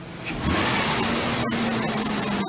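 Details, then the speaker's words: Ford Explorer revved on jack stands after oil change and fresh gas: picks up cleanly and holds a smooth, even rev with no knocks or rattles; sounds healthy, though described as a little dirty. "Sounds like a V6, but I mean it's a little dirty."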